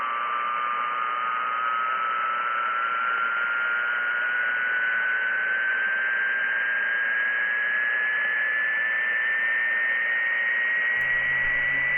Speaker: circuit breaker 15 and as you can tell there's a something's coming up i can hear it whining a little bit you know not the airplane that's flat over i can definitely hear something